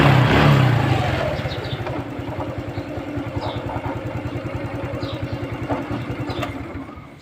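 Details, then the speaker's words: Honda Wave 110i after the cam chain repair, now quiet. Engine settles from a start into a steady, even putter of about three beats a second with no chain rattle: normal idle. "ครับเงียบแล้วนะครับแต่ถ้าตัวดันโซ่กระบอกดันโซ่เนี่ยทำเสียเราก็เปลี่ยนทีหลังได้นะ"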